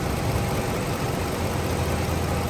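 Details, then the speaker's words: Chrysler 300 Limited, 2015, Florida car; engine bay with hood open; smooth even low idle with no knocks, ticks or misses; runs very good; normal idle. "It runs very good."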